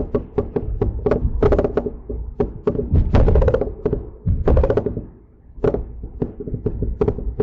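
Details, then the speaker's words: Mercedes-Benz C300 after front CV axle, wheel bearing and front brake work; microphone in back seat while driving, repeated sharp irregular clunks from the rear; something loose at rear, cause not yet found. "All right. So, that is what I have been hearing. Um, again, I got to pull it in, take a look around, and see what is loose or what's going on in the rear."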